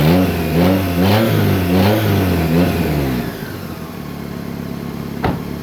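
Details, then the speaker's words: 1995 Toyota Corolla, after a flex pipe was fitted where the catalytic converter was missing, fixing a big exhaust leak: a few throttle blips, then a low, even, quiet idle with no raspy puffing; normal idle. "so all right so we finally got the exhaust installed on the car it sounds much better than before way quieter for whoever buys it"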